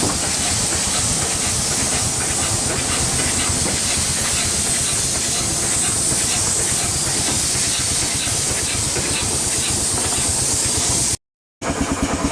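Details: 1895 Bates Corliss steam engine, 14" bore x 36" stroke, 10 ft 9000 lb flywheel: even steady chuff and hiss, regular beat, no knock; only steam leaks remain, possibly a broken steam chest pipe.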